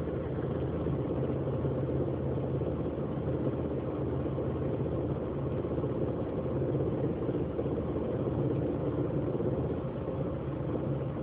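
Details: 2004 Grand Prix: rough, uneven rattling over steady low idle rumble, mostly in drive or reverse, goes away in park or when speeding up; cause unknown.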